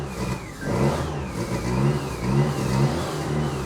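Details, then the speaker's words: Fiat Panda 4x4 with removed aftermarket turbo kit, just restarted after spark plug leads refitted: under light steady throttle revs swell and sag about once a second instead of holding; surging, cause unclear. "I'm now applying slightly throttle to the engine. I'm not pushing it up and down, but take a listen. The engine is going up and down badly."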